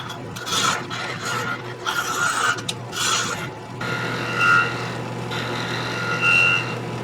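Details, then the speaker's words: Wood lathe turning a Christmas ornament blank, cutting near the unsupported end: rough uneven scraping with high screeching bursts, chatter from the wood vibrating with nothing supporting it. "You can hear the screeching sound, so I know I don't have a lot of support down there. I'm just getting the vibration."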